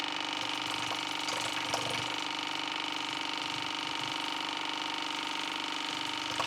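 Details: AEG Favorit Electrolux dishwasher from 2015 with error i30 (water on base plate), after cleaning debris from the bottom; steady high-pitched drain pump whir with faint water gurgle, pumping the tub empty normally.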